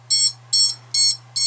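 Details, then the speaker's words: Diatone GT-R90 90mm quad (F4 board, 15A BLHeli_S ESCs, 4S capable), beeper triggered from the radio switch: four sharp, evenly spaced high-pitched motor beacon beeps about 0.4 s apart, working normally but quieter than a dedicated beeper. "so stop bad beeper it's reasonably out I"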